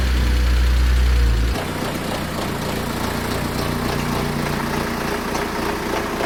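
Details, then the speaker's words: BMW 123d diesel donor car for a 130i restoration: rough, clattery idle with a steady metallic rattle about three to four times a second, like a tractor; worn timing chain needing replacement, warning lights on. "it's actually a one two three d which needs a timing chain that's why it sounds like a tractor currently"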